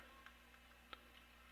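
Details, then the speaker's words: Nintendo Switch controller ZR trigger after repair (epoxied plastic piece sanded to clear the clamshell): crisp light plastic click with a few softer ticks; normal trigger click. "it's clicking now which is good"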